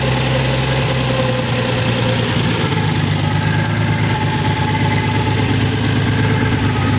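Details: Nissan 300ZX recovering from hydrolock, after 20 minutes of idling: steady even idle still around 1,000 rpm, slightly high for a warm engine, no knocking heard.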